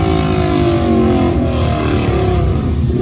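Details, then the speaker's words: Rebuilt crashed Ducati 899 Panigale, no muffler, fairings off: very loud, raw, crackling roar rising and falling with throttle, painfully loud at 20 feet. Loud exhaust without muffler. "how loud is it it hurts from here it hurts it hurts listening when he's 20"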